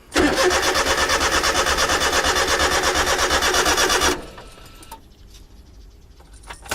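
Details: Honda Beat JDM sport car after main relay swap and fuel pump maintenance: even starter cranking at about three beats a second for four seconds, no catch at all; cranks but won't fire.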